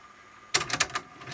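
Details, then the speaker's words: Sharp CD-JX20X boombox with Tanashin TN1800 logic-controlled tape mechs, in play mode: quiet hiss, then a quick cluster of sharp mechanical clicks and clunks as the head swivels; deck auto-reverses direction normally. "Yeah, that flipped over. All right. And again. And it will keep probably going back and forths like a car cassette player."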